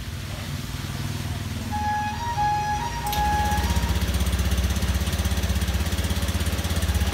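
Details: Motorcycle after cleaning the fuel pump and fuel filter: an even, regular putter at about four beats a second with no stutter or hunting. Idle is now smooth where it was unstable and sputtering before.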